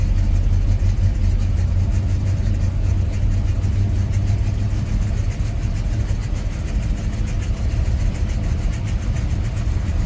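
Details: 1986 Chevrolet C10 just after a cold start: low, loping idle sounding slightly uneven and lumpy; rough running, cause not identified.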